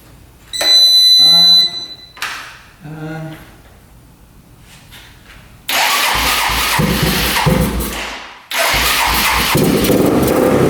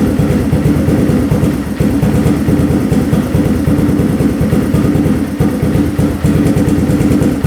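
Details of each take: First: Rough $400 4x4 ATV sitting for years, old premix-looking gas siphoned, first start on temporary choke held with vice grips: catches, runs rough and loud, then dies without choke; owner suspects not enough fuel, fuel screw to go out, float height fine. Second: 4x4 ATV that sat for years, after checking float height at 21.77, turning fuel screw in 3/4 turn from 2 turns out, stock pilot jet: single cylinder idles low and fairly even with a steady beat.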